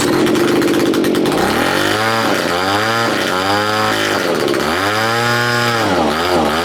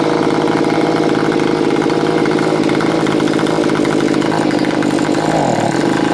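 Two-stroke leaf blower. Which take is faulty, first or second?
first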